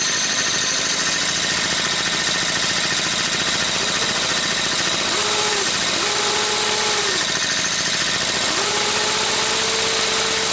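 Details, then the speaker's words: Goofy Cart 2 small-engine cart, cold start after a new idler pulley fitted to tighten the clutch-to-right-angle-drive-box chain: rough irregular rattle and whine rising and falling with revs; noise not from the pulley, suspected drive box or clutch. "well it works and now I'm thinking that noise is not from this like I thought it was so it's either from the box or from the clutch we'll have to find that out"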